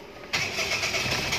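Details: Perodua Kenari that had been hard to start: after a coolant temperature sensor check, it cranks briefly, fires at once and settles into a stable idle without hunting; normal start and idle.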